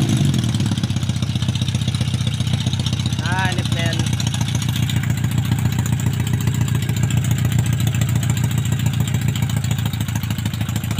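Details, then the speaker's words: Yamaha Maxim XJ750 inline-four on its first run after rebuild, carb overhaul and ignition bypass, running open headers with no muffler: fast, slightly uneven lumpy idle, very thirsty with black exhaust smoke. Running rich; owner plans to refit the stock setup. "Ito okay naman siya kaso sobr lakas sa gas e ano e ubos agad tapos sobr itim yung tambutso e yung usok sa tambutso e"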